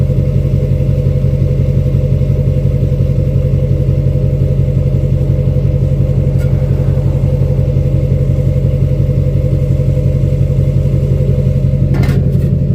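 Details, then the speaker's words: 2006 Chevy Silverado LBZ Duramax diesel, DSP5 tune, after install of 5-inch straight pipe with flow-through muffler and 8-inch tip, cat removed; recorded near tailpipe: deep, throaty idle, even low pulsing about two beats a second, no ticks or misses; healthy normal idle. "And the video doesn't do justice, but the ground is like vibrating near this uh tip. It's really uh awesome near the tailpipe. So, the 8-in tip definitely makes it sound uh louder or not louder, but deeper, uh throatier."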